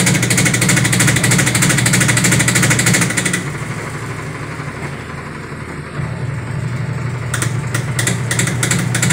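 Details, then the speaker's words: Sharp automatic washing machine, over 10 years old, empty, during spin-dry: loud rumbling with rapid thumping about three times a second as the wobbly, loose tub bangs the cabinet side; defective tub assembly. "Yan, sobrang mapalag yung kanyang tab, kaya bumabangga siya, kaya nag-iingay siya."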